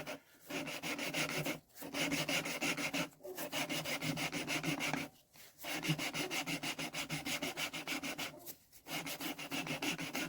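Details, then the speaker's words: Deutz engine cylinder head, removed over no compression; lapping a valve with fine paste after coarse; gritty back-and-forth strokes with brief pauses; paste is barely biting anymore, so the seat is nearly done and later shows a continuous line. "I can hear that that's not really biting much anymore. So I think this might be alright."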